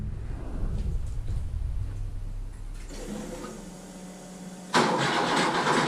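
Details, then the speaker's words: Porsche 911 flat-six, first start attempt with the fuel pump working and the CDI and coil connected. Steady starter churn but it never fires; the cause was a home-made wiring loom with connector pins 1 and 5 and pins 2 and 6 swapped. "okay so i have problems um i have stuffed up a little bit of wiring when i made my wiring loom"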